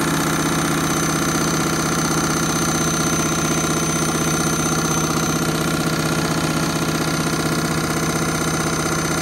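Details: Candy Mini Load washing machine, Rapid 30 programme, final spin at what the owner thinks is about 1200 rpm: loud steady droning hum with a rhythmic throb about twice a second, abnormally noisy final spin.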